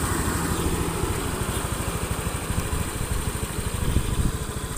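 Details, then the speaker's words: Honda Beat FI scooter after repair of a rough hot engine and weak hill climbing, during a roughly 6 km test ride: small single-cylinder idle with quick steady beat, no knocks or rattles; engine now smooth. "untuk mesin suara halus ini nanti tak coba lagi untuk jarak beberapa kilometer ya Nah untuk mesinnya itu sudah halus"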